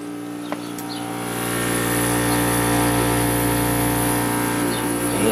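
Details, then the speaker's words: Curbside vintage Kenmore dehumidifier (likely Whirlpool-made) with Embraco reciprocating compressor: steady compressor hum and faint refrigerant hiss but no rush of air; Emerson fan motor seized, very hard to turn, never oiled; unit also low on refrigerant. "okay so the compressor is working fine but I don't feel any air being pulled through it I think the fan motor is probably seized"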